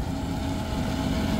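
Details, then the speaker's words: AC unit blower running after service: a steady rumbling drone with a gritty hum. Bad bearings suspected; the belt will be removed to tell motor from belt. Blower bearing noise. "can you guys hear that sound to me sounds like we got bad bearings so let's go ahead and shut it down"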